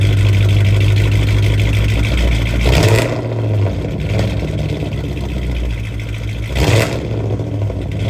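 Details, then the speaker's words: 2006 Chrysler 300 with 5.7 Hemi, started after adding some 91 fuel to an empty tank; about 3 quarts of oil were added earlier and it ran worse, plugs suspected fouled. Engine catches and revs, then settles into a lumpy, uneven pulse; rough running, possible misfire. "That didn't sound too good. I'm sorry. That thing is powerful."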